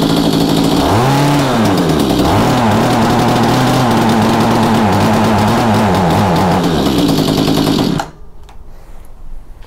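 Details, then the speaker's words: Mantis two-cycle tiller, with a dirty primer bulb, hardened lines and good compression: revs surge and hunt unevenly, burbling, then cut out after about eight seconds, with heavy muffler smoke; runs rich. "as you can tell it probably was meant to run in the highlands of colorado based on how much smoke came out of that muffler but it is running"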